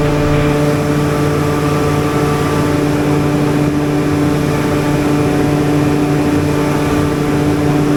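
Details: Generator on a service call, run while output voltage is checked (283 V line to line, about 278–279 V line to neutral): a steady, even drone with a constant hum and no knocks, surging or rattles. Normal running.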